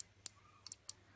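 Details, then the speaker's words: Finsecur Nemo C conventional manual fire call point (ref BBG C0216): sliding membrane pushes a tab onto the contact when triggered; four sharp, light clicks in a quiet room as the tab presses the contact, shown during diagnosis of a recurring mechanical fault. "Et en fait, le fait de coulisser comme ça, il y a cette patte là qui vient faire contact sur celui-là. Enfin, qui vient appuyer plus ou moins. Là vous voyez, on entend bien là."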